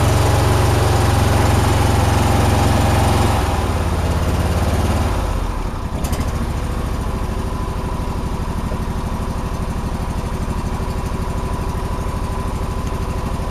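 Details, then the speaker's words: John Deere twin-cylinder mower, 472 hours, just back from the shop which said it runs fine: uneven, lumpy idle beat about 2.5 per second, maybe slightly better but not perfect; owner suspects loose valves needing adjustment, unconfirmed; rough running. "well it doesn't run the same it still sounds the same to me a little bit maybe a little better but it doesn't sound perfect so I don't know what the heck that would it be"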